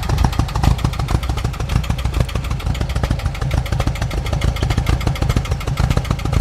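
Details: 1988 VW Vanagon just after a new mid-pipe, catalytic converter and muffler replaced the badly clogged originals: loud, uneven thumping with skipped beats at idle, sounding like a misfire. The cause is unconfirmed; grease was burning off the new exhaust.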